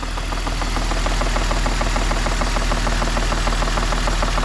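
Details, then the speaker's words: Light, even tapping about three per second over a cold idle on a BMW E46 coupe 2.5 L, 30 seconds after start, with normal injector tick also present; the owner suspects a top-end rather than bottom-end noise. "hear that tap that like knocking that's the sound that I'm thinking it sounds top Endy doesn't sound bottom end"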